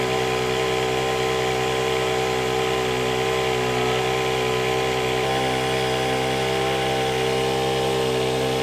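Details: Honda WJR4025 backpack sprayer, GX35 four-stroke petrol engine, spraying high; smooth constant high-revving buzz, steady pitch, no surging or rattles. Praised as a smooth Honda sound; clean normal running under load.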